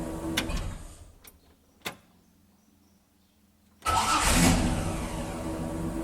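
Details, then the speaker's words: Jeep Willys starting: a few light clicks and near silence, then firm, continuous, steady cranking; a healthy starter turning the engine strongly. "rằng lượt của anh ấy rất liên tục, một lượt chắc chắn! Tôi đặc biệt thích phần khởi động này rất nhiều!"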